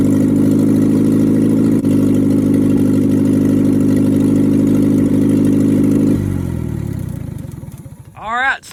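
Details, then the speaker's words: International Scout 800 junkyard rescue, engine previously stuck, carb tuned and new fuel pump fitted: strong, even idle with a steady firing beat, then a clean shutdown; engine running smoothly after revival. "i'll tell you what i can't believe how good this engine's running now"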